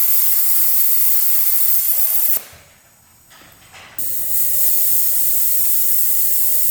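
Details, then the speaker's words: 2000 Honda CR125 two-stroke crankcase leak-down test: strong steady air hiss as pressurised crankcase bleeds off fast; no bubbles at head gasket, power valve, exhaust or coolant; leak traced under the cover. "hear it leaking from somewhere all right no bubbles from the head gasket area power valve area exhaust over here nothing"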